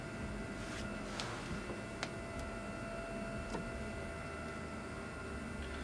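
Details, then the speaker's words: Water-cooled home server in a BitFenix Prodigy with Swiftech Apogee Drive II pump running full speed without speed control; thin steady high whine with faint clicks, audible with side panels on. "yeah it's one thing uh I don't like though is hearing the uh the pump with the side panels on and in my office we'll see kind of got a little bit of a high"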